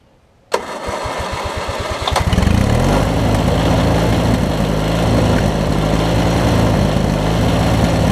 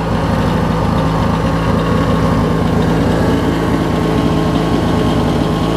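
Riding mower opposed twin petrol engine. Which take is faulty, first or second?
first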